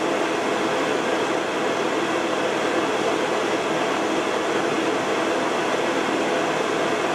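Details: Repaired 12 V fan of a Carver Fanmaster hot-air heater in a 1996 Swift caravan, which had been stuck on slow speed and tripping: steady rushing air and smooth motor hum, no knocks or rattles; motor runs quite hot and may fail.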